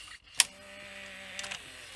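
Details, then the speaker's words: 1985 Philips VR6462 VHS recorder with the old idler fitted with a new tire and the old spring, reel motor cleaned: quiet steady motor hum with light clicks; idler drives smoothly without slipping, sounds much better. "So, I've put the old idler on. um with the new tire and the old spring. So, let's just see what this sounds like. It sounds better."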